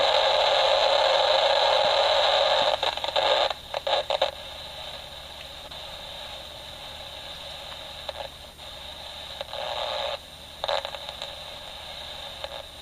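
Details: Homemade AM superhet receiver on the workbench. Steady hiss sags and surges every few seconds with no clear station: weak, fading reception. The builder suspects an AGC problem, its level moving the opposite way it should; unconfirmed.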